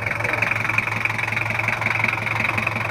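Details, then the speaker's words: Toyota Kijang LGX 2.5 diesel at idle: steady clatter, knocks near three per second, slightly uneven and harsh; owner complains of rough sound, suspects valve clearance adjustment is due. Cause unconfirmed. "dan keluhannya itu suaranya agak kasar udah waktunya setting klep"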